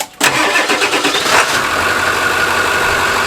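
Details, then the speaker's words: Ford 7.3L Powerstroke F-250 Super Duty diesel started during a pre-purchase check: short crank, fires first try and settles into an even, steady idle with no knocks or misses; sounds healthy. "Sounds pretty good right now. Fired up, first crank."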